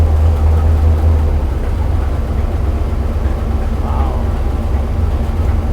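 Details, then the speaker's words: Numbers-matching 440 Magnum U-code V8 in a 1970 Dodge Charger R/T on the dyno, ported heads, exhaust manifolds, bored 30 over, forged pistons, original six-pack rods; deep, steady big-block rumble at idle, even beat, no knocks or ticks: normal idle. "That's your idle. That could be your idle."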